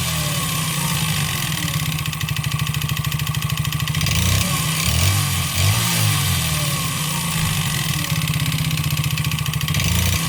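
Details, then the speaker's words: 139QMB 50cc engine with piston skirt ground shorter and cylinder sanded for large clearance, at low idle: quick, even, hollow tapping over the small single's putter, audible only at low revs and when revs drop; piston slap. "Słyszeliście jak Piston Slap brzmi On brzmi tylko na wolnych obrotach jak dodacie lekko gazu i później już tłok tak szybko zasuwa że nie jesteście w stanie wychwycić tego brzmienia"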